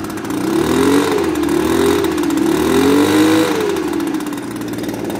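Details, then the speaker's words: Two-stroke leaf blower started after dumping old fuel that looked like straight gas without oil mix, still running well; buzz climbs and falls smoothly as the throttle is worked, no stumbling or misfire; normal running. "but it's running good still after that"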